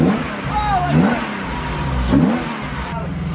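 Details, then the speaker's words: BMW E36 drift car after new exhaust gaskets fitted: idles evenly and rises cleanly through a couple of blips, no puffing or ticking at the manifold; exhaust sealed, normal running. "at least it's got gaskets in there this time. Sounds good to me, mate."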